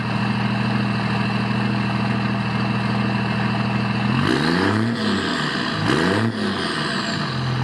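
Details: 2002 Dodge Ram 2500 5.9 24v Cummins turbo diesel, aftermarket air filter, 3-inch custom straight pipe, tripod behind tailpipes: deep loud steady idle then clean revs rising and falling smoothly, no knocks or misses; healthy.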